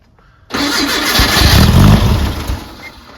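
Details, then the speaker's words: Brubaker Box with newly installed engine and two-barrel carb, first start attempt: starter spins about two seconds with uneven chuffs, never catches; seems not to be getting gas from the fuel tank. Cranks but won't start. "huh it's like it's not getting gas"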